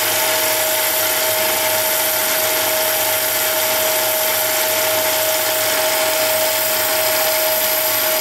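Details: Mini lathe turning brass rod with a high-speed steel insert: steady high motor whine with a smooth, even cutting hiss, no chatter or squeal, leaving a nice finish; cutting cleanly.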